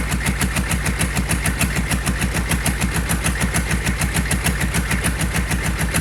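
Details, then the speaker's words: GEP/Navistar 6.5 diesel with Stanadyne DB2831-4911 injection pump and new injectors, run without exhaust manifolds, idling hot after a hot start without glow plugs: even clatter at about 200 knocks a minute, steady with no misses; healthy idle. "I'm going to let you hear it hot start. It'll start. I don't even need glow plugs. Quick pump of the trigger and it starts right up."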